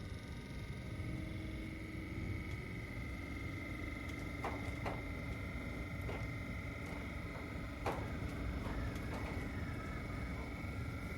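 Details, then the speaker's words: Minn Kota Ultrex trolling motor after a foot rebuild with new armature and seals (bearing previously ground), spun up and cranked to high during tuning. Smooth, even mid-tone hum with no grinding: bearing healthy, normal running. "Right there seems to be it. Cranked it up on high. There you have it."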